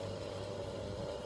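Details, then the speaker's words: Hunter Pacific Aurora 2 ceiling fan on medium speed with the motor housing open: a steady mid-pitched hum over a low drone, present since it was disassembled, source unknown; unexplained motor hum. "since I disassembled it, it's been making that sound."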